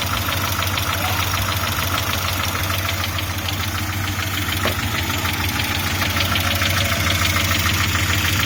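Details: Audi 80 B3 at idle: crisp metallic tapping about three times a second over a steady idle; engine knock, cause unclear.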